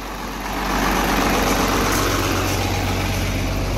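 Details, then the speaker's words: 12-valve diesel truck swapped to a 48RE, after AFC housing fuel screw and spring fix, weak battery as alternator wasn't charging: catches within a second and settles into steady, even diesel clatter, no misfire or knock; normal start and idle. "battery was kind of low from yesterday because it wasn't the alternator wasn't charging so yeah it was all right she runs she starts"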